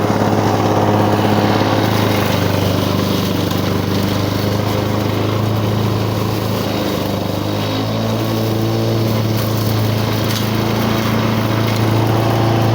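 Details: 1985 Lawn Boy model 7350 two-stroke mower, revived after sitting outside for at least three years, cutting heavy weeds on raised wheels. Steady buzzing drone that dips slightly under load without stumbling. Runs well; the owner thinks the RPM is a little low.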